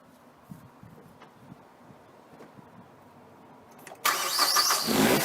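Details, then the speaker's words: Mazda 6 2.0 petrol, which had rough, erratic idle and stalling, starting after throttle body cleaning and gasket cleaning: fires up promptly and settles into a steady idle, better than expected. "Well, it started okay. It's actually ticking over better than I thought."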